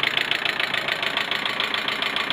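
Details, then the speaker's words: Car engine at idle, warmed after head gasket replacement, air filter off so louder; quick sharp ticking about ten per second in the head persists, none when cold; owner suspects too much oil; valve train ticking at idle. "Głośno chodzi, bo tu filtra powietrza nie ma jeszcze, to dlatego tak głupi, ale cykanie to już jest, kurde, no dalej jest to samo, no."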